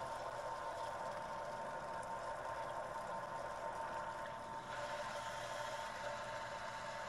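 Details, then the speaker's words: Shallow well pump on solar power, unused for a year, restarted without priming: steady even hum and whir, no knocks or surging, tank repressurizing to about 50 psi; pump healthy. "all right i can hear the tank filling up so far so good excellent the tank filled up to about 50 psi"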